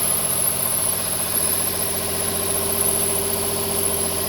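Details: 2007 Nissan 350Z petrol engine idling with a steady fast pulsing about four beats a second and a thin high whine; owner unsure where the noise comes from, same noise with air conditioning on.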